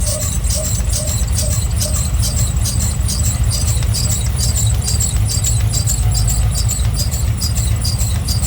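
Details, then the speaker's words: OBS truck after water pump replacement, idling while warming up, no leaks; sharp high chirps about twice a second over steady idle, an annoying squeal from one of the pulleys or belt, source not yet confirmed. "no leaks of course that annoying squeal but I'll do something like that eventually"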